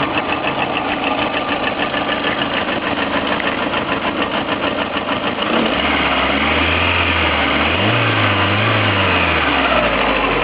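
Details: Lada Priora engine with an even tapping knock at idle, about three per second, clear over the engine hum. Present both cold and hot, inaudible at higher rpm, no effect on speed or acceleration. Engine knock of unknown origin.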